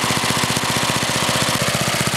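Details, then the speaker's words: Older Briggs & Stratton small engine with a one-piece Flo-Jet carburetor, after idle-speed adjustment: a fast, even single-cylinder putter with no misses, a normal idle of roughly 1,800 rpm (an approximate guess). "now most brid engines any just about any small engine idles about 1,800 RPM"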